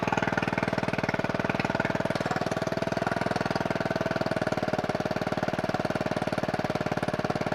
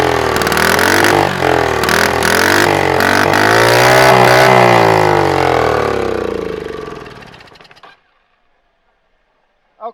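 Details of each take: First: Scooter-engine reverse trike after years sitting, ignition rewired, oil checked, no coolant in it: quick, even firing beat at steady speed with no misses or knocks; running smoothly. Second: Scooter-engine reverse trike, sitting for years after a crash, on a block: hand-choked start catches and runs high and fast well above idle, then cuts out; too much throttle, almost wide open, owner suspects something rusted up.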